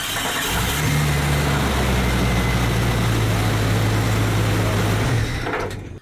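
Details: Engine cranks briefly, fires and settles into a steady idle before cutting off, after cleaning and tightening the starter main battery post nut that had caused a voltage-drop no-crank.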